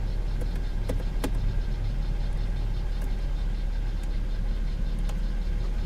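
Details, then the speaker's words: V6 car at a salvage yard, started and idling while the air conditioning was switched on: steady low idle with sharp clicks as the AC compressor engages; even, healthy idle. "there it is yeah yeah there it goes okay okay yes air conditioning works in the drive window works"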